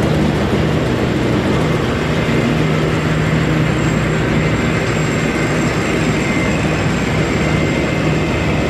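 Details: Massey Ferguson 40 combine (possibly 1996), sat 3 years, fuel and electrics refreshed; loud, even diesel roar with heavy low rumble at steady speed, no knocks or misses, engine shaking the machine; normal running.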